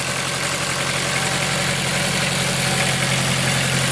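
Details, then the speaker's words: Turbo Honda S2000 on E85 after replacing worn, pinched injector seals, fuel pressure about 50 psi running, no leaks: steady, even warm idle with no misses or tapping; normal idle, sounds healthy. "now time to crank her up [Music] oh yeah boys she's alive so chris has had 50 psi right now pretty good no leaks sounds healthy"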